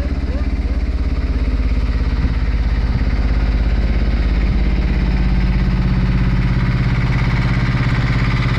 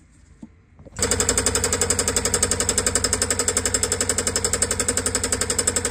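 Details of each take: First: Brand-new Beta Marine 16 diesel, just installed in a sailboat to replace the failed old engine, runs in the harbor at a steady idle with even, regular firing and no knocks or misses; normal running. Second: Old sailboat marine diesel: starts and runs with a loud, hard clatter, about four knocks a second, rough running; cause not yet found.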